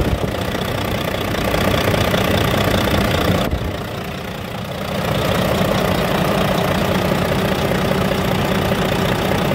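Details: Volvo D13 dump truck that was hard to start 5–10 minutes after shutdown, after replacing the one-way valve, two fuel filters and the pressure return valve: starts on one click, even diesel clatter, brief dip, then a smooth steady idle.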